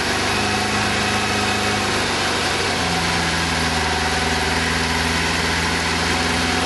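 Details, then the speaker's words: Kawasaki GPZ600R four-cylinder first start on choke after standing over 18 months; lumpy, uneven idle with one pulse missing each cycle, running on three cylinders, fourth occasionally trying to catch. "Sounds like it's running on 3 cylinders, but not bad for 18 months off the road. Definitely running on 3."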